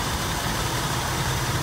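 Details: 1964 Buick Riviera, cold start, engine not warmed up; even, steady idle rumble with no squeaks, ticks or knocks; normal cold idle.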